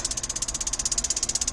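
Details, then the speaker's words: 18 L tankless gas water heater with hot water tap open: fast, sharp, high-pitched ticking, about sixteen a second, as the igniter clicks repeatedly but never lights; gas tank full. "you can hear that it's clicking but it wouldn't start"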